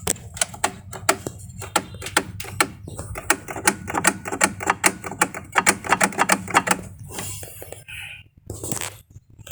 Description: Panasonic Automatic washing machine repair. Metal Noise when washing and dryer. fixed.